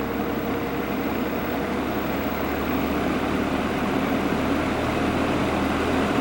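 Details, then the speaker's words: 1950s GE box fan after motor repair, oiled, blade refitted: soft, even whoosh of moving air with no knocking, rattle or scraping, quiet and smooth; normal running. "it's nice and quiet yeah that's running real smooth"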